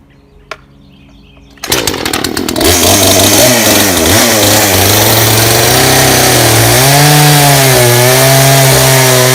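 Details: Craftsman two-stroke chainsaw, found in the garbage, now working after carburetor low/high idle adjustment; fires after a pull and holds a steady buzz, rising and falling cleanly with throttle blips.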